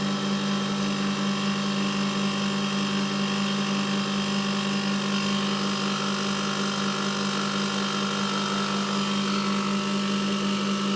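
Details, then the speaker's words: Milk-cooling condensing unit with new condenser fan motor and correctly sized blade (old motor's front bearing failed), running as hot gas pipe to heat recovery warms; steady even hum and smooth fan whir, no knocks: normal running. "that's a Hot Gas Pipe going off the heat recovery and then that's the return that's getting a bit of heat in it now"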